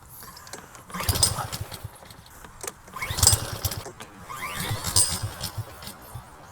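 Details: Lawn mower on 87 pump gas, spark present: three pull-starts, each a short chugging burst that dies without catching; it popped briefly on starting fluid, pointing to a fuel problem, found to be water in the fuel/carburetor.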